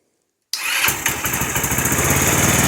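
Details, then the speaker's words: 2007 150cc GY6 scooter, parked since 2016, after repairs: fires up and settles into a steady, even buzz with a firm exhaust note, much quieter and more manageable now, though the carburetor may still need work. "that is much much more manageable yeah still might need a little bit of carburetor work"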